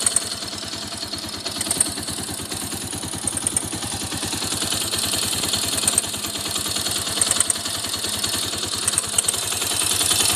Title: Xr 200 ticking noise. Whats the problem?